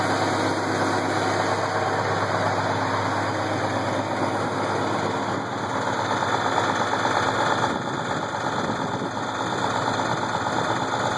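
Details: Case IH 1680 combine with 8.3L Cummins diesel idling, uneven knock roughly two per second over a steady rumble; started as a slow knock that worsened; timing cover removal found a cracked cam gear with missing teeth.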